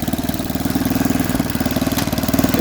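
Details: Snapper 8 hp 26-inch snowblower, first run with a mangled pull cord, auger working: a steady, even single-cylinder putter at idle with no misses, knocks or hunting; normal running, fairly healthy.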